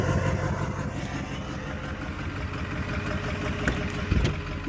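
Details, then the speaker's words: Ford 6.4 Powerstroke diesel, 280,000 miles, after injector replacement, number three over-fuelling and heavy smoke: deep uneven idle with lumpy stumbling beat, sounds like a steam engine; rough idle, cause still being investigated. "last thing I want to hear is that thing sounded like a freaking steam engine that ain't running right"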